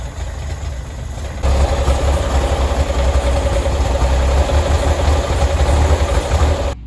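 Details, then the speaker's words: 1965 Chevrolet Corvair 110 Monza, sitting 13 years since 2008, suspected flood car, first start on starter fluid: deep uneven rumble with irregular stumbling; runs badly from a vacuum leak and flooded carburetor. "So after being somewhat encouraged that the car cranked up and ran, did a little bit more looking at it and found a couple of reasons why it's not running well at all."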